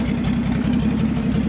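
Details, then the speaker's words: Old Nissan G60 Patrol 4WD climbing a steep hill track under load with the exhaust pipe come off: loud raw rapid low blatting, far louder than normal, sounding like a monster yet failing the hill; exhaust leak. "with the exhaust pipe having come off she may sound like a monster but unfortunately that's not enough to get us up this hill"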